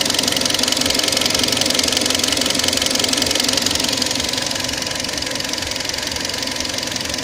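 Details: Kia Sportage 3 engine with a strange knock of unknown cause; steady tapping knock about four per second over the idle, staying even throughout.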